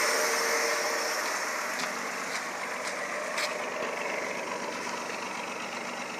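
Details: V8, formerly fuel-injected, now fed by an electric fuel pump, after repairs: a steady, even idle hiss and hum. The earlier popping idle misfire and stutter are gone, so this is a normal, healthy idle.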